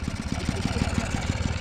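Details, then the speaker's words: 1979 Yamaha QT50 moped abandoned about 35 years, new battery and carburetor, running wide open: uneven, lumpy two-stroke putter with no crisp pickup, bogging down; owner suspects flooded or lean, needs tuning. Engine bogging. "and that's exactly how she sounds when she runs down when you got her wide open you here now she's probably needing some toning you know she feels sounds like she's bogging down maybe flooded maybe lean"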